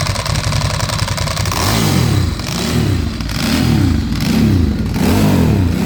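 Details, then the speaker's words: 2008 Ducati Hypermotard first started after sitting 2 years during restoration: uneven V-twin idle rising into revs with a dry metallic rattle from the clutch; dash shows service, EML and fuel lights; owner unsure if clutch noise is normal. "But overall it doesn't sound too bad apart from the clutch. So I don't know if that's supposed to sound like that."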